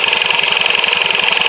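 Idling motorcycle with a fast, metallic clatter about ten beats a second: worn, loose flywheel damper rubbers.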